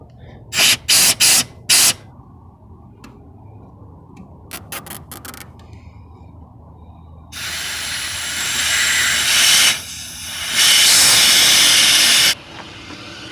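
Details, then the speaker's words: Ford Thunderbird fuel line blown through with an air nozzle: a few sharp air blasts, then a sustained strong hiss of air rushing out the line end; the line is clear and flows. "See if you can hear it. It's coming out of there. That tells me that the line is clear, at least enough to flow something."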